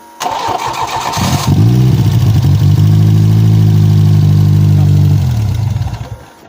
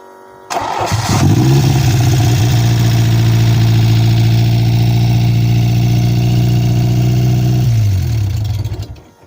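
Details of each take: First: Peugeot 405 Mi16 with 16V XU engine, first start after 5 years, cranks, catches quickly and settles into a smooth, even idle before shutting off cleanly, even with uncleaned injectors; runs fine. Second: Peugeot 405 Mi16 16V, first start after 5 years, cold: catches and settles into a fast, steady idle well above normal until switched off; high idle traced to faulty idle stepper motor, which was then changed.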